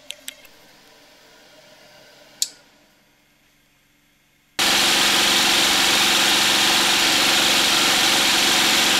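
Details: DIY 12 V DC generator, a small engine exhausting through a muffler, charging a battery bank and inverter: after quiet clicks the engine bursts into a loud, steady, even drone that holds constant under load; runs fine.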